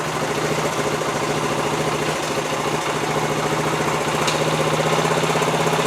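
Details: About 50-year-old Honda TL 125 motorcycle after a carburetor rebuild for a gas leak: small single ticks over at a steady, even idle with a soft regular putter and no misses or clatter. It runs healthy and no longer leaks.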